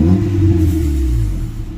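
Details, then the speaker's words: Honda Civic LXi manual that had stalled and dropped idle, after its ECU was checked: low, even, calm idle, then revs climb and settle without stumbling or dropping; the engine sounds healthy. "So yun kalmado Napakaganda ng idling natin rev walang bagsak"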